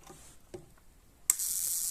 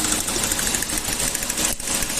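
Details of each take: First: Toyota gasoline engine with pinging from ignition current leaks, test comparing spark plugs: soft clicks, then a sharp continuous sizzling snap as the new plug fires steadily, while the old plug barely fires even with more excitation. Normal spark plug firing. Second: Toyota gasoline engine with heavy pinging under acceleration and lost power: rapid sharp metallic tapping over the engine. A tester shows current leaking from the spark plug wires and misfired combustion, and the coil output towers are damaged. Spark knock from ignition leak.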